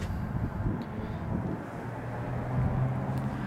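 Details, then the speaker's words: LFX V6 swapped into a square-body truck with a new engine harness, idling: low even hum with a soft steady rumble and no knocks or misses; sounds all right, though the owner wants a different fuel pump. "and I'm curious what it really sounds like it I guess it sounds all right"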